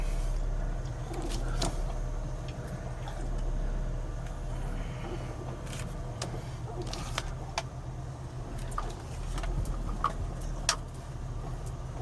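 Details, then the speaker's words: 2000 Lexus RX300 on a test drive after replacing an ignition coil for P0300/P0302/P0304 misfires: quiet, even engine hum under road and cabin noise, no stumble or shake, check-engine light out; running smoothly. "so here we are going on a test drive after replacing the coil and the uh RX300 as you can see the engine is running a lot smoother than it did there's no engine light"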